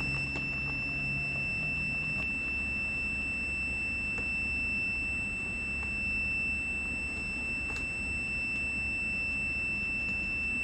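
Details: 1995 Arctic Cat ZR700 carbureted snowmobile with intermittent spark, multimeter on key switch terminals: unbroken high-pitched continuity beep held throughout the test, so the key switch passes current.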